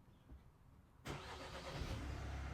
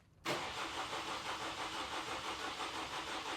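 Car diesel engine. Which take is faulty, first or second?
second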